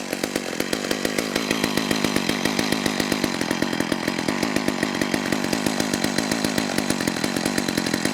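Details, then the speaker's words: McCulloch Eager Beaver 2.0 cu in two-stroke chainsaw after carburetor clean (was a no-start), no purge bulb, air filter fitted: slow wet popping idle about seven beats a second; suspected the filter richened it, low-speed jet needs leaning. "i think adding that air filter richened things up too much so that low speed jet has to be brought in a bit"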